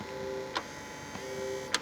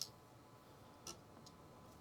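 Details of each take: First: Xbox 360 Jasper model: two brief whirring motor bursts, each ending in a click, as the disc drive tray motor strains and fails to open a stuck tray; the console otherwise works normally. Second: Xbox 360 Jasper disc drive, test disc inserted: faint, sparse ticks about a second apart as the laser seeks focus; laser responding, drive likely working.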